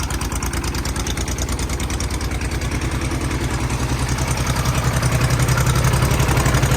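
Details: Kubota B7200 subcompact tractor diesel, cold start at 15°F after about a minute on glow plugs, no fuel additive: even, rapid clatter at idle, three to four knocks a second, steady and slightly louder over time; normal cold idle.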